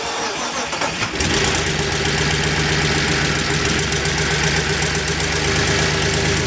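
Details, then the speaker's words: 2004 BMW 325i first start after replacing CCV system, coolant hoses and oil filter housing gasket: uneven, lumpy, ragged idle; cause not yet found. "Well, that sounds like crap. I'm gonna say something's not happy."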